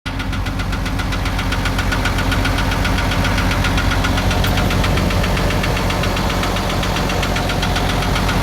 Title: ISUZU 6BG1 Engine Knocking sound #excavator #hitachi